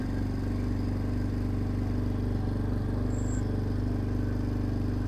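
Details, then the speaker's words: Trailmaster TM31 dirt bike, Zongshen-type engine (claimed 250cc, actually about 223cc), cold start on choke: starter cranks for several seconds without catching; owner says it dislikes cold weather. "hold the choke in usually this box actually pretty cold nature every time I've I've rode it it's it doesn't like the cold weather"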